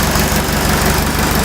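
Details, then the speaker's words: Fiat 352C diesel tractor after new pistons and rings, refurbished alternator and injector pump, new glow plugs and filters, and Seafoam treatment: steady, even chug with a regular low beat, no misses, knocks or bogging; runs smoothly. "not bogging down or anything because that was the thing is that I come up the hill they come up the hill just right off it's really great okay so that sounds like a motor now"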